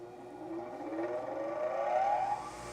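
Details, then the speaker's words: Bench grinder during a four-run balance with the trial weight moved to the zero position, accelerometer on a Falcon collector: smooth hum rising evenly, no knock or wobble. Feels smooth, reading about .16 in/sec versus .80 originally. "Hm. Feels pretty smooth."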